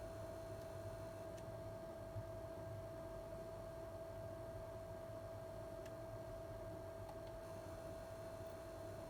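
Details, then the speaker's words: PlayStation 5 while playing PS5 games and switching to the home menu: thin steady high whine at one pitch over quiet hum, coil whine; owner found it on several units, barely present with PS4 games. "So yeah, I think Coil Whine is a thing, and I think that all the PlayStations have them."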